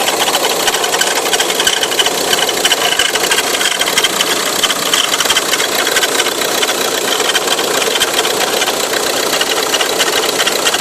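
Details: Ford Tourneo Custom: constant scratchy rasping chatter over the running engine, even and unchanging with no rev change; noisy accessory belt.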